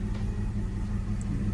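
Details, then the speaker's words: E46 BMW 325xi with P1349 cylinder 4 misfire/fuel cut-off code: deep, lumpy idle with unsteady low beat; misfire only at idle, disappears when revved. "I don't know if you guys can see the RPM, but when you rev it up, the misfire go away, guys. Like when you rev it up. When you rev it all the way out, the misfire go away, you know what I mean? Yeah, it's only like when it's idling."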